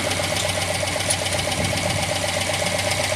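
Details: MGA idling lumpy with a steady thin whistle pulsing about four times a second, noticed right after recent carburettor work; suspected air leak around the carburettors, not confirmed.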